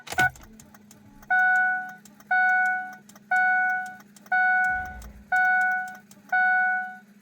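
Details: 2003 Ford 6.0 diesel crank no-start with odd electrical noises: a steady electric hum under a two-tone beep about once a second and no engine turning over. It builds oil pressure; the source of the noise is unknown.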